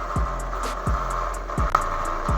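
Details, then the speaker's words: Honda New CB150R kick-started because the electric starter is weak, after balancer welding: steady tiger-like droning hum with low pulses. Flywheel magnet off-centre and rubbing the stator; owner suspects the stator coil or crank bearing. "ya ini teman-teman ya suaranya seperti ada yang apa ya sebutannya seperti ada yang menggesek suaranya"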